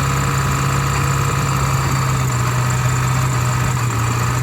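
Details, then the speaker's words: 7.3 diesel after IDM box work and new fuel line seals: steady low idle with a faint uneven beat, like one cylinder not pulling; misfire, owner suspects an injector not firing well. "now we're having a missing problem and I'm pretty sure it's an injector it sounds like one of the injectors isn't firing very well"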